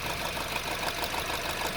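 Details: 2009 Honda Civic 1.8 16V idling rough with irregular stumbles as one cylinder drops out; plug and coil swaps didn't move the fault, so a faulty fuel injector is suspected, with a compression test pending; a misfire causing noise, lost power and high fuel consumption.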